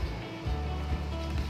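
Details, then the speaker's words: 80-watt power amplifier board on an adapter, speaker connected, no input signal: steady low mains hum drones from the speaker, meaning the amplifier is faulty. Cause is a broken PCB trace. "Nah, ternyata sebelum diinjeksi input power ampli sudah ada bunyi dengung. Ini sebenarnya berarti power amplinya tidak normal."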